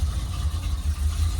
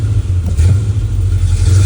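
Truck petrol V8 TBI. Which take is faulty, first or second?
second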